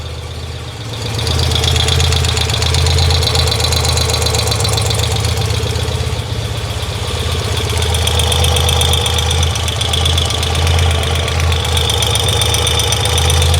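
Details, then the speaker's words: BMW R90/6 motorcycle with a sewing-machine engine noise, recorded after valve/rocker adjustment and an oil filter change. A busy rapid clatter persists unchanged over a steady idle. Rocker play was ruled out, and a bottom-end problem is suspected. "mon opinion c'est que c'est un échec sur toute la ligne ça fait toujours autant de bruit et effectivement le bruit qui semblait être vraiment côté culasse avec ces ces ces culburs qui bougeaient beaucoup là"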